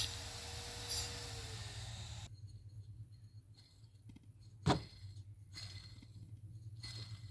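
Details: Tensioner bearing from the drive belt of a Ford Zetec Rocam 1.0 flex engine with A/C and power steering, removed and spun by hand: rough, hissing whir with a falling tone, then stops; worn bearing causing belt-area noise.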